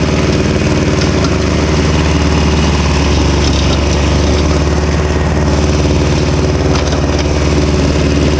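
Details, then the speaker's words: Victa Super 24 / Super 600 70-series two-stroke mower, idle about 8 years, carb split and cleaned, fresh fuel, still cold: loud, even, busy two-stroke buzz holding steady with no misses or surging; running cleanly and healthy. "For anyone with the volume up, these things run loud."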